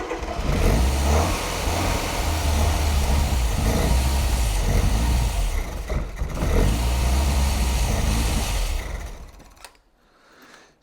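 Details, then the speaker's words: Mk1 Ford Fiesta Super Sport barn find, parked about 20 years: engine runs unevenly on held throttle for several seconds then fades and dies once throttle comes off; needs a little throttle to run. "That's what happens without throttle. So it needs a little bit of throttle."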